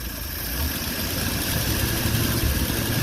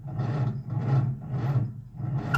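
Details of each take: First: Old Nash four-stroke car after fuel pump repair (cracked sediment bowl replaced with fence post cap) and water pump fix: steady, slightly uneven low idle, no misses or knocks, no fuel leak; normal idle. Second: Old Nash four-stroke car on a 6-volt system with boost box, after fuel pump sediment bowl replaced by a fence post cap: slow labored cranking, about 1.5 compressions a second, never catching; out of fuel, carburetor needs priming.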